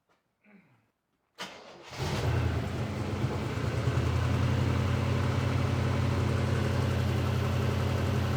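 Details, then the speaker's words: Engine with a months-long backfiring problem, being worked on for it and started on Christmas Eve: cranks, catches after a second and settles into a steady, even idle with a smooth pulse and no misses or pops; normal start and idle. "it's a Christmas miracle the elves were here what can we say Aron"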